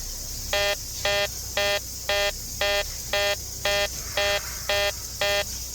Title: uncovering a weird beeping noise during my home inspection #homeinspector #homeinspection